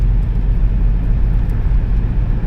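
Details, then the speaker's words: Minivan "Blondie" at highway/interstate speed on nice new tires just swapped in: dead smooth, only even low road rumble, not a noise, shake or rattle; smooth highway cruise. "Oh, it's dead smooth. This is awesome. Yep. Yeah, that's mint. Not a noise, not a shake, not a rattle, nothing."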